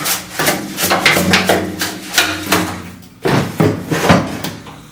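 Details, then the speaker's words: 1966 Ford Mustang fuel tank, drained and dried: shaking it gives gritty rattles and scrapes from loose rust flakes off the interior, plus the float knocking; tank being replaced. "loose crud that's all rust flakes that flaked off the inside of the tank and there's nothing I I can do to treat it so it'll stop that it's just going to continue"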